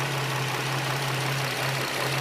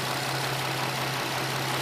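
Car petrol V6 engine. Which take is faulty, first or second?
first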